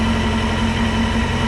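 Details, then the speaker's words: Honda Hornet 600 idling after service and start, before carburettor vacuum synchronisation, some smoke from oily exhaust burning off: steady, even hum with no misses, knocks or hunting; normal idle. "co dalej równo sobie pracuje Nawet bez do synchronizacji nienajgorzej zobaczymy jak to wygląda"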